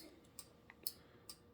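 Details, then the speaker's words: UTV turn signal electrical box with hazards on (both blinker buttons pressed), all lights flashing: soft crisp ticks about every half second from the flasher relay; normal ticking. "if you push both of these that gives you hazard so now all the lights are flashing and on the flashing relay you can hear it ticking away in there"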